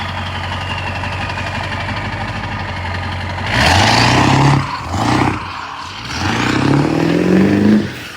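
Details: Ford 7.3 Powerstroke diesel, self-swapped engine: smooth diesel clatter at idle, then a few clean revs rising and falling evenly; healthy engine, runs well though battery light stays on.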